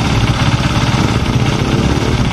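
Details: Honda Sonic 150 (K56) single-cylinder, engine fairly warm: steady, even low idle with a soft pulse and no knocks; the idle changes when hot, possibly from a compression leak, with oil seeping from a gasket.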